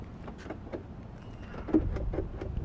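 A rapid, repeated clicking and buzzing from inside the door, about four pulses a second with no engine running. The lock actuator is cycling on its own.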